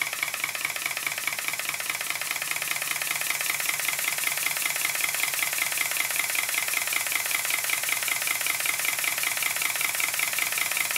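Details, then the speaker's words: Southworth duplex pump of a large Stuart Models steam plant, its valve timing roughly reset, running without pumping water and with the water chest loosely fitted. Quick, light exhaust beats at a steady metronomic pace, far more even than before. "but as you can hear it's now started to sound looks more metronomic and far better than it was about an hour ago"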